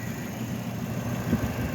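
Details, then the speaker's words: Nissan pickup at idle with a little throttle after alternator replacement: quiet, even idle with steady low hum, no squeal or bearing growl; belts running true, the alternator was the problem. "So I'm not hearing any weird noises with the alternator. Looks like that was the problem."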